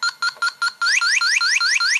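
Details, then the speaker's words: 2018 Honda Accord 1.5 turbo, about 55,000 miles: an R134a sniffer held at the opened R1234yf A/C service port gives four short high beeps, then quick rising chirps about four a second; it detects trace refrigerant, which probably doesn't indicate a leak. "It does. Now does that mean that this is leaking? I don't think so, but we can use the detector to detect this refrigerant."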